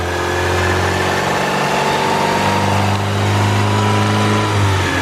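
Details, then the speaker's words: Turbo Civic (eBay turbo kit, Hondata S300 ECU, manual boost control) after fixing the wastegate exhaust leak and warming the manifold before retorquing bolts: steady even engine note with a clean low hum, no puffing at the manifold; exhaust leak gone, sounds much better. "The exhaust sound is gone. That already sounds a million times better there."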